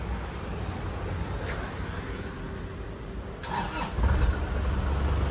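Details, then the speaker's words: 2004 Isuzu Panther LS diesel: short crank, catches at once into steady clatter with no misses; healthy start; a scraping sound is attributed to the aged fan belt needing replacement. "Sekali starter langsung cegreng ya, artinya mesinnya sehat."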